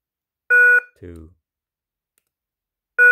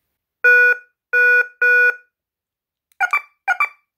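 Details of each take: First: KERUI wireless alarm base unit, alarm off, unplugged and replugged five times to pair motion and door/window sensors: one short, clean mid-pitched beep at each power-up, about every 2.5 seconds, entering sensor pairing mode. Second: KERUI wireless security alarm base after key fob programming, alert mode triggered from the remote: three long loud tones, then two quick chirping double bursts, clean and quiet between; normal alert-mode beeps.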